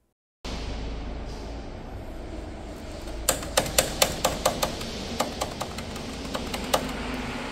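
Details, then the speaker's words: Mercedes E-Class W213 E220d diesel, engine bay: sharp metallic clacks, about a dozen, rattle unevenly over a steady hum from a loose heat shield held only by clips. "네 다시 한번 들어 볼게요네 달그닥 달그닥 소리가 나죠네 아이고 참 허술하게 허술하게 돼 있네"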